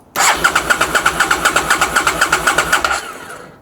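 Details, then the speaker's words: Abandoned 2002 Aprilia SL1000 Falco V-twin (about 3,500 miles, sat 21 years) cranks on a jumper at about four even compression pulses a second, never catches, then winds down; silent fuel pump suspected, not confirmed. "At least the engine is turning over. That's one thing to be happy about. yeah, we got to figure out what's going on with this fuel pump, I think."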